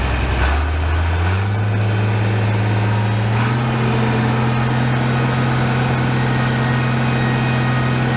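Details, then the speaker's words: Farmall 806 tractor diesel at idle, before hydraulic filter change: constant steady-pitch whine over the engine; hydraulic whine, cause not yet found. "Hopefully that whining showed up for you on the camera. I didn't want to run it too long like that. Kind of bothers me."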